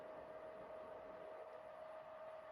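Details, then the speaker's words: Secondhand PS4 Pro back at the PlayStation logo after a software update reboot: a constant high fan whine over rushing air, pitch never easing, way too loud; it cannot cool efficiently. "uh this thing is way too loud it cannot cool efficiently anymore and obviously that's something you don't want"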